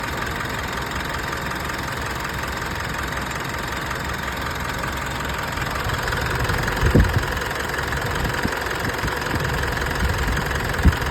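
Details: Mitsubishi Triton diesel idle with uneven beat and occasional heavy thumps: misfire caused by turbocharger leaking oil through intercooler and throttle body into the cylinders.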